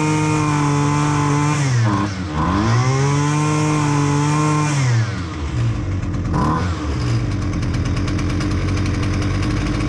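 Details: Husqvarna 128L string trimmer that wouldn't start due to flooding, after carburetor replacement: steady, even buzz from the two-stroke that dips and picks back up cleanly on throttle, no flooding stumble.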